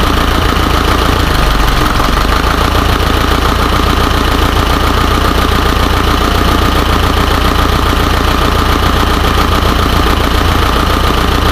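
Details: Isuzu 4HJ1 diesel with low power and hard starting: idles with an uneven, lumpy beat of about three or four pulses a second over a heavy rumble; rough idle, cause unclear.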